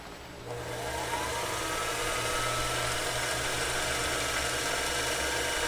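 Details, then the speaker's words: Singer Featherweight 221 sewing machine shipped by Goodwill, run at full pedal: motor whirs up with a wavering flutter, rattle and vibration, belt wavering (pulley or tension suspected); motor weak, lacking power, needs disassembly and cleaning. "you're getting a lot of vibration there I'm all the way down as far as it'll go right now so we definitely have some motor opportunities from a standpoint of taking that motor apart and cleaning it"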